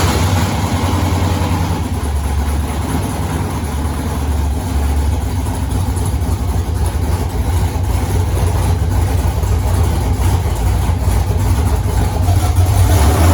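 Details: 1983 Mustang with cammed 5.3 LS from 2002 Avalanche, in park, thermostat not yet open, idling around 750 rpm (briefly dropped to 700 via HP2): lumpy loping chop, slight hesitation on rev; flat-spotted idle needing tuning, cylinder temps even within 10 degrees.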